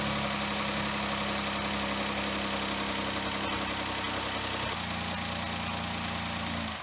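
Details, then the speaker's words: 2013 Chrysler Town & Country after water ingestion (suspected hydrolock), first run after repair: steady, smooth idle pulse without knocking or tapping, then shut off; oil pressure and everything sound good, a normal idle. "okay I can live with that that oil pressure and everything sounds"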